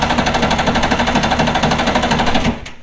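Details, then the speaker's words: Two-stroke premix engine on a jon boat, unused three years, carbs rebuilt, new gas and battery, cold day: fast, even cranking for over two seconds, never catching; plan to pour fuel into the intake behind the flame arresters to prime it. "yeah it's not doing it I'm going to take this off and see if I can maybe get some gas maybe down inside the engine see if it'll turn over maybe that'll get it kind of primed and going"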